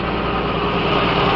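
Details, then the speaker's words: Restored 1968 Australian-built Toyota Crown MS55 with automatic bimetal choke, idling: steady even hum with no vibration, normal smooth idle, before stalling. "here it is it's a very smooth engine um you can hear it there's no vibration whatsoever"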